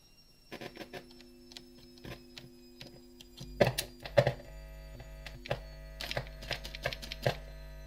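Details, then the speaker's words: Arcade bartop, possibly with a cheap 12 V car-type amplifier: a steady low mains hum under scattered clicks and taps; a poor earth or loose connection is suspected, and the hum mostly stops when the amp is shut down. "Obviously, we've got a dodgy connection somewhere and it's not being a we. That sounds like to me there's an earth."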